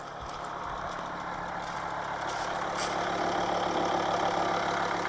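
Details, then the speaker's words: 2006 Volvo V50 D5 2.4 L five-cylinder 180 hp diesel, Aisin AW55 auto, cold start at 5 degrees; light fast steady tick, three or four a second, over the idle clatter; owner suspects lifters, also possible stuck injector or exhaust leak. "I don't know if you can hear that ticking noise."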